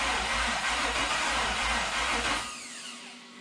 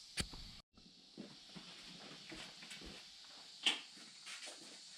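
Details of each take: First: 1972 Toyota FJ40 Land Cruiser with swapped-in LS 4.8L V8, first start attempt: starter cranks steadily about four beats a second, never catches, dies away. Only two exhaust primaries warm, spark confirmed; only two cylinders trying to fire, no start. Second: '72 Toyota FJ40 Land Cruiser with swapped 4.8L LS, fuel system primed, first crank with PCM unplugged: starter spins the engine with an even steady churn, no firing; turns over smoothly, no binding.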